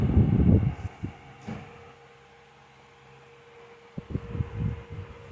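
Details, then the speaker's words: 2014 Lasko 16-inch table fan model 2506 with replacement motor, back on medium: soft steady hum under handling knocks; little speed difference from high, possibly due to motor or blade; normal running. "But you can hear it has little to no difference in speed. And that's probably because of the motor. Could also be the blade as well."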